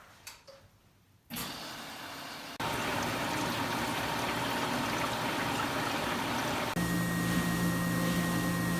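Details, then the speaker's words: Whirlpool Duet HT washer after F02 error repair with new pump/drain basket (part 280187), first test on manual cycle: water rushing with steady low pump hum, draining smoothly, no grinding; normal drain pump operation. "I heard some draining going out the back. It's on its last cycle."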